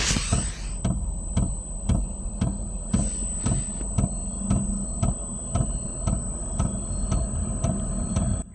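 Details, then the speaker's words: Newly installed Velpax diesel heater in a Ford Transit van, warming up in its heating phase: crisp, even ticks about twice a second over a low hum from the diesel dosing pump; normal, quiet rhythmic tapping. "can just hear the diesel pump ticking, and I've had a lot of people complain saying that it's too loud. It's very quiet tapping. It's like almost rhythmic."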